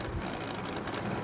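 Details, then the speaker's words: AC voltage relay tested on a series bulb across terminals 1 and 5: the bulb stays off and a fast, buzzy chatter with a light rattle is heard as the relay vibrates. This is the normal result for a working relay. "इसके अलावा अगर हम 1 number से इस 5 number पे रखेंगे तो ये सीरीज का बल्ब नहीं जलेगा, लेकिन रिले से कुछ आवाज आएगी, चिटरिंग की आवाज आएगी।"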